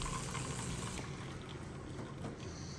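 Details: DeLonghi Magnifica S coffee machine after grinder motor replacement. A smooth, even gush of coffee over a low pump hum. Normal dispensing after the repair.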